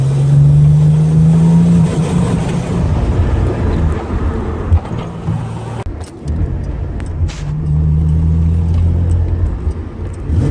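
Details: L36 Grand Prix (GP) misfire under acceleration, some runs with a BOV and some without; deep drone pulling hard that drops out mid-pull, then recovers; cause not identified.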